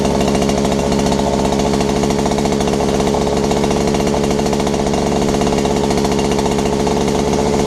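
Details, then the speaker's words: Robin EC10D Japanese two-stroke engine after the points and condenser were cleaned, the carburettor stripped and cleaned, and the tank flushed of bad fuel: it now starts but runs fast, buzzy and rattly with a constant high drone, idling too high. "well it sounds like it was run in a bit faster sound a bit noisy but it started that's the main key"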